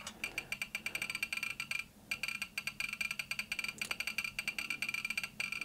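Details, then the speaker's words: Soviet 1969 'Signal' pocket radiometer with STS-5 and SI-3BG Geiger counters: fast, dense crackle of sharp clicks from the speaker as a powerful source overloads the first subrange. "Well, let's overload the first subrange with a more powerful source."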